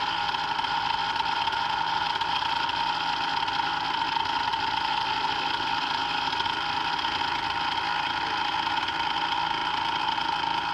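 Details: Brand-new Hangkai 3.5 HP two-stroke outboard (30:1 premix) just started, in neutral with no throttle: steady, even high-pitched buzz with no misses or rattles. It is running normally.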